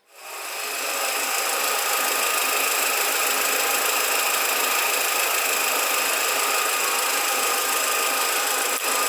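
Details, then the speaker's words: 2007 VW SpaceFox 1.6, recent timing belt job, engine running: thin metallic chirping whir like a cricket rides steadily over the engine, customer complains of noise from the steering; worn power steering pump bearing. "galera a Spacefox é que ela tá fazendo um barulho ó olha só sei que vai dar para vocês ouvir barulho parece que tem um grilo metal pegando sei lá alguma coisa né"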